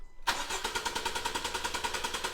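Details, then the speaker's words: 2016 Honda Civic petrol with P0303 cylinder 3 misfire, cranking with coils disconnected: starter spins engine with smooth even cadence, about eight pulses a second, ruling out compression; injector or coil power/ground next suspected. "So it ain't a compression issue. That sounds beautiful. So that rules that out."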